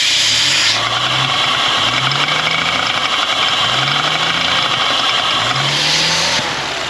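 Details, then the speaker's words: Audi S4 B9 3.0T, 55,000 miles, at running temperature, before rocker arm replacement; clean, even throttle blips with a light fast ticking from the high-pressure fuel pump, normal; engine sounds healthy. "and this is how the engine is running so sweet and sound the only thing that's sticking is the high pressure fuel pump that's normal but mainly listen to this"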